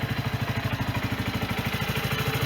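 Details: Sinnis Bomber 125 single (Suzuki GN125 copy) after service with new air filter, oil and filter, and a new exhaust and gasket: steady even thumping idle about fifteen beats a second, no exhaust blowing; normal idle.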